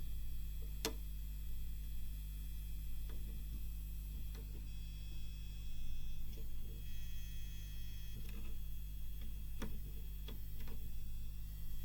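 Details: Seiki SE40FO04UK LED TV that has buzzed from the back for over a year: steady low hum with light taps, suspected to come from the transformer coil vibrating on the main AV board. Damping it with Blu-Tack did not fix it.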